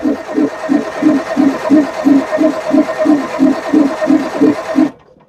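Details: Perkins 6-cylinder diesel in a homemade RV on a 1966 GMC bus chassis, sitting about 30 years. Injector lines cracked to bleed while cranking; steady cranking about three compressions a second, no firing; air still in the fuel lines, only fuel drips coming through.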